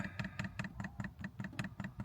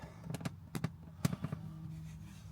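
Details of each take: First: 5 kW Chinese diesel heater newly installed in a VW Caddy camper, powered from a Jackery 1000 v2 DC outlet that proved insufficient: rapid regular ticking, about five per second, with a hollow clack as the dosing pump pushes diesel through an air-filled line. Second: 5kW Chinese diesel heater newly installed in a VW Caddy camper, powered from a Jackery 1000 v2, switched on: sharp regular dosing-pump ticks over low hum, sparse then about four per second, air in the line; normal fuel pump priming.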